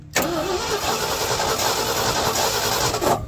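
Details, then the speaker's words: 1977 Ford F600 truck, sat about 5 years, engine size unknown: steady, even cranking that never fires; crank-no-start from no spark at the plug despite sanding a bad connection, with 12.38 V reaching the coil. "sir no sparkies at all but let me get my metro out see if we're getting voltage to the coil"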